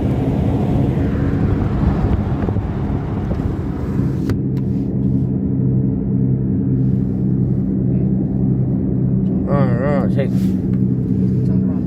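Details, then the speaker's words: Toyota RAV4 SUV, heard from inside while driving: steady low drone and hum with slight vibration felt, from a damaged left rear wheel bearing. "Le roulement de la roue arrière gauche fait du bruit ; je ressens une légère vibration sous moi."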